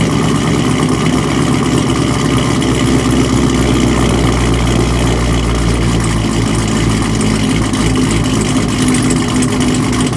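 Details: Cold start on a V8 with Kooks long-tube headers, catless, muffler delete and BTR stage 1 cam: loud lumpy idle through open pipes with irregular pops and crackles over the steady throb; owner asks what the popping is, cause unknown.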